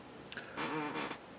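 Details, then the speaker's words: Sony NEX-5 camera autofocus on shutter press: faint soft whir about half a second, no grinding or hunting, unlike the loud hunting Olympus Pen EPL2; normal quiet autofocus. "focuses pretty smoothly. And that's one concern I had that nobody really addressed."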